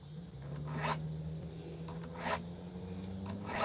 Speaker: It ain't making that much noise because I've already sharpened this blade. When this is dull, it makes it makes a noise like you're trying to sharpen.